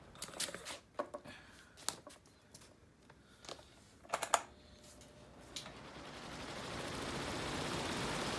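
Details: Fan: sharp, irregular ticks a couple of times a second, then steady rushing rises as it spins up; ticking noise, cause not clear.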